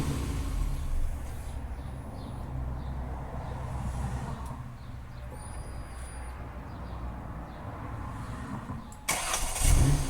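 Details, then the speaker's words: May 2000 Ford Cougar 2.5 V6 170 hp at idle: low idle stumbles and surges unevenly, nearly stalling when the leaking vacuum line is touched; intake vacuum leak. "c'est vraiment la dépression d'air parce que regarde quand tu quand tu touches la dépression qui fuit ça m'a pris presque Calais"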